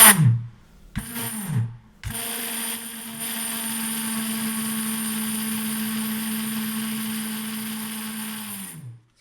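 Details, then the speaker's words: Bosch MSM6250 motor spinning up with a steady buzzing whine and gritty rasp, then winding down; friction and overheating, likely from a worn, ruined bearing. "So probably here we have a bearing which is gone. It sounds like a ruined bearing and it's really getting hot."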